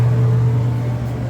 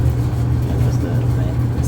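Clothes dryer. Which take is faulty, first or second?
first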